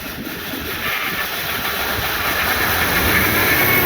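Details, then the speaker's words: 1977 Ford Fairmont XC GXL 302 V8 after 12+ years stored, with the carburettor refitted and its bowls filled with fuel: steady hissy running with an uneven, lumpy pulse, idle a bit low; runs better than before but still not properly. "well it works which is great but that still doesn't run properly so I'll have to dig into that tomorrow"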